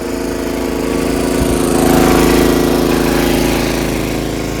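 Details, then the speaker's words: John Deere RX75 rear-engine riding mower on test drive after ignition switch replacement and reassembly: even, unbroken single-cylinder drone swelling and easing with load, no misses or stumbles; no hesitation, healthy running under load. "Went for a test drive, no hesitation, engine's awesome."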